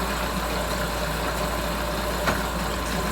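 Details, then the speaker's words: Mercury 9.9 hp outboard after fuel line replacement, idling while shifted through reverse and neutral: steady even idle, no stumbling or surging; running smoothly, old fuel line believed the problem. "shifted. She's idling good. That's reverse. Neutral. Well, she's running good."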